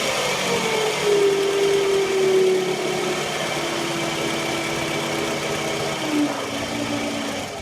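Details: 2009 Toyota Camry LE 2.4L four-cylinder at idle: steady, slightly wavering mid-pitched whine from a bad alternator, which was replaced after this recording.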